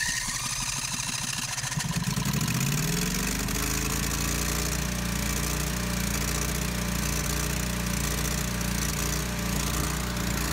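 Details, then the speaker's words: 12kW backup generator at first start before repair: cranks, catches, steady run with sharp uneven puffing chuff; exhaust leaks, muffler flange had no gasket and gases leaking around a cylinder exhaust port. "When I first started up the generator, I could tell that there were some exhaust leaks to fix."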